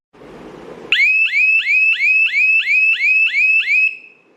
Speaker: Now, when I move my hand in front of the IR sensor, then buzzer makes sound. You can hear the buzzer